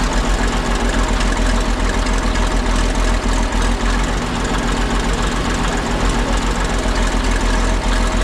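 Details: Ex-military 1959 International dozer, left at a scrap yard for months, on fresh batteries: after running a couple of minutes the smoke cleared. Steady low diesel idle with an even, unbroken clatter holding level; sounds healthy and settled.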